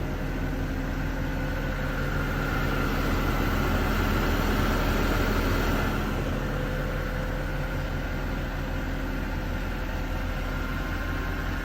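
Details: Mercedes M156 V8 petrol engine idling smoothly with a deep, even burble and no valvetrain ticking. This is after the camshaft adjuster was replaced to cure a ticking noise.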